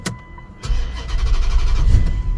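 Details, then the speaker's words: No-start car after suspension work elsewhere, starter fluid sprayed in intake: cranks, catches about two seconds with rough low rumble, then dies; likely fuel pressure problem, suspected fuel pump, power and ground at pump connector not yet checked. "oh yeah yeah it's not going to run long guys we likely need a fuel pump"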